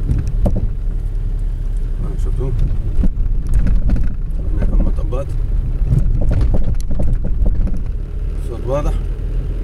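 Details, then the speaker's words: Car coasting with the engine off over bumps on a paved road: dull, irregular rubber-on-rubber thuds (not a metallic knock) from the rear each time the wheels hit a bump, traced to a worn rear suspension joint bushing. "الصوت واضح، أما صوت من الخلف أما صوت قوي من الخلف."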